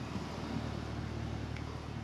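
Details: Carrier condenser after compressor and condenser fan motor changeout, first run: steady low hum with even fan rush, no knocking, rattling or screeching; cooling normally.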